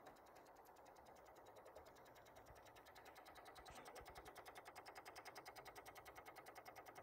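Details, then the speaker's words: Infiniti G35 sedan with a recurring no-start: after the battery was reconnected and the engine is off, a quiet, fast, very even clicking buzz comes from the engine bay near the battery, not from the battery itself. Cause not found. "and so now I'm actually hearing something coming from The Battery area you hear this"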